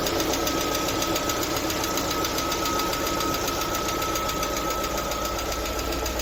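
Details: LADA Vesta at 45,000 km idling: fast light lifter ticking, roughly four per second; oil pressure measured jumping, caused by a torn oil pickup seal ring.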